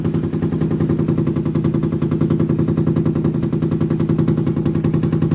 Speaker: every time it spins it slams against the wall and the floor down there and it just makes this noise every time